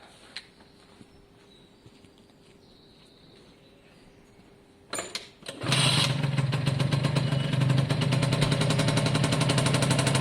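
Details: Suzuki AP50 two-stroke after carb clean, refitted with air box: a few clunks then catches and settles to an even buzzing run, picking up cleanly when revved; runs better once choke sorted itself out.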